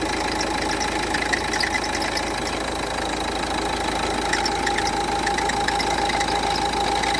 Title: Strange noise Renault Duster 1,5dci, alternator pulley replacement. Înlocuire fulie alternator.